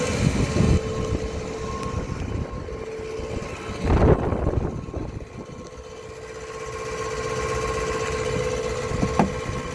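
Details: 2007 Dodge Ram 1500 5.7 Hemi, 140,000 km, idling via remote start, recorded from the garage: loud steady high-pitched transmission whine audible two blocks away; starter bench-tested fine, no leaks or rubbing found, cause unknown.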